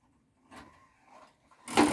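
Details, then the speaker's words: Sony MD5 JE510 MiniDisc player ejecting via the remote: a couple of faint mechanical clicks, then a short whirring run as the disc comes out; normal eject mechanism clicking, loading mechanism working. "and then you've got yeah you reject remote you'll hear that clicking"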